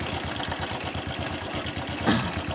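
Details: Honda Wave 110i brought in for hard starting, after new spark plug fitted: steady quick even single-cylinder idle, no misses or hunting; idling smoothly. Unsheathed plug cap suspected of shorting, to be replaced.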